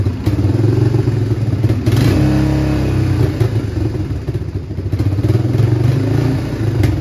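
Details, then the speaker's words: Old Honda Fourtrax TRX quad, run after sitting for years: single-cylinder thump with a sharp puffing tick on each firing stroke from several leaking exhaust joints. It hesitates when throttle is first applied; owner suspects the air-fuel mixture. "all right we got her to idle definitely have an exhaust leak [Music] oh yeah look at all them exhaust leaks holy smokes"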